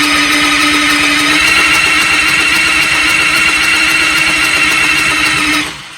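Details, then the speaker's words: Motorcycle with new motor in Spike high-torque starter housing: after a brief button press, loud steady high whine runs on over five seconds then cuts out; starter runaway caused by wafer inside solenoid. "So the wafer inside the solenoid is a bad idea. Mucho heat, spark and stuff."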